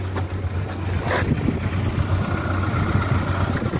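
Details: 1997 Ford Escort 55 D van, diesel, warm, low miles and few owners: steady low diesel clatter at an even idle with no knocks, misses or squeals; healthy engine ticking over.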